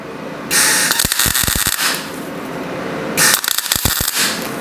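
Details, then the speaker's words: Welding small filler plates into slotted holes of a custom Isuzu-based frame for a 1939 Hudson rat rod, a magnet holding the plate close by, suspected to cause spatter; harsh crackling arc with sharp pops and sputters: excessive weld spatter. "Now, you can hear that welder is not very happy, but it's in place."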